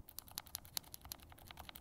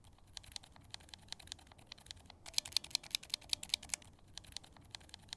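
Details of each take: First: Glorious Lynx linear keyboard switch over-lubed with Krytox 205g0, pressed bare without keycaps: rapid presses with a faintly soft, wet edge, lube audibly making noise and feel slightly changed versus properly lubed switches. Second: Glorious Lynx linear switch lightly lubed with Krytox 205g0, typed without keycaps: quick crisp high clacks, no scratchy grit, noticeably smoother than the dry switch.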